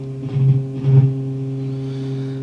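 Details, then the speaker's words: Marshall JCM900 amp with low-volume distorted output came up at full power, then dropped to almost nothing; flexing the board makes the test tone surge and drop, coming and going. "i noticed just tapping around here oh that's come back already just i'm flexing this board here you can hear that coming and going"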